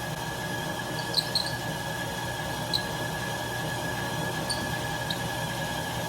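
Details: 1967 Logan lathe model 1875, 3-phase motor on Phase-a-matic static phase converter from single-phase 240 V, auto-feed screw engaged: even motor hum, faint steady whine, few light chirps; running normally.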